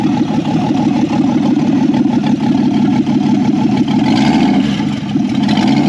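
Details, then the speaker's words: 1964 Ford Falcon four-door, six-cylinder, 3-speed column, off the road since 1984–85 and barn-stored, first start on jumper wire to coil with unknown-built carburetor: loud raw open exhaust bark rising smoothly with throttle blip, no knocks or misfires; normal running. "I didn't want to touch it while it was running. That sounds pretty good."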